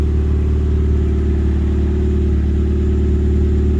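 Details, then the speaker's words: Project car exhaust after refitting the rear back box with a new gasket. Deep, steady rumble now exiting the back, quieter, with no puffing, ticking or rasp; normal exhaust note. "Well, that sounds like that's coming out the back this time. That's better."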